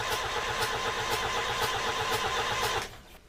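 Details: Boat's marine diesel cranked by starter with shut-off lever held in stop position to build oil pressure before first start: even four compressions a second, no firing or catch, then stops; cranking without starting.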